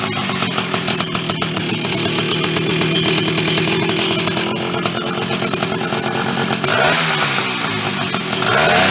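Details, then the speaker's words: Chrysler Sno-Runner snow cycle (title says 1979, speaker says mid-70s), sat over 40 years, revived; two-stroke started on choke with a shot of old fuel, rough buzzy steady fast idle with some rattle; fired up and keeps running. "it lives it lives with that old crappy fuel too awesome"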